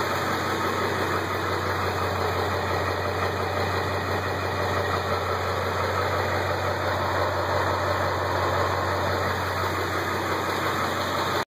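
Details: Ford 7.3 diesel at idle: steady, even clatter with no irregular knock above it; owner first suspected a knock, but after 3 years and 70k more miles the engine proved healthy.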